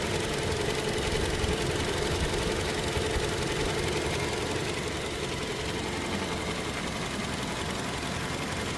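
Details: Toyota Hilux diesel at idle: sharp rapid clatter about three knocks a second, louder than normal injector tick; cause unclear.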